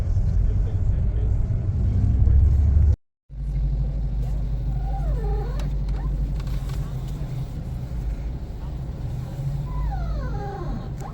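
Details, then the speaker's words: Fiat Argo/Cronos driving over low road rumble: brief rubbing squeak sliding up and down in pitch; the steering rack dust boot was slightly deformed when the suspension strut was refitted and rubs. "Então pararam lá, realmente era esse guarda-pózinho, tá? Que na hora que tiraram a coluna para fazer o serviço, na hora que foi colocar, ela deformou um pouquinho."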